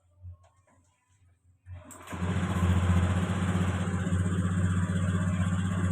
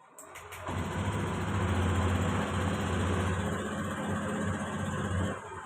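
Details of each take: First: Fuel-injected Honda Beat scooter, fuel pressure 30 where 40 is expected, before manual ECU reset: quiet cranking, then it catches and runs with a fast, slightly uneven beat, hesitating as throttle comes on; engine stumbles on throttle. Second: Fuel-injected motorcycle that stumbled and stalled on its own, after a manual ECU reset (jumper wire, mode 1): it catches quickly after brief cranking, idles smoothly, responds to quick throttle; problem resolved.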